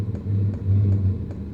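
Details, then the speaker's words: New portable toolbox-size Vevor diesel heater, first start-up, fuel lines priming: even ticking about 2.5 per second over a low swelling rumble as the pump pulses and burner catches, slight smoke; normal start-up. "But, there it goes. I heard it and I can smell it. Just fired up."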